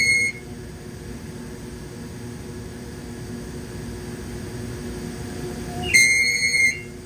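Low machine hum broken by a sharp high-pitched squeal at the start and a longer one near the end; an intermittent squeak, source unknown.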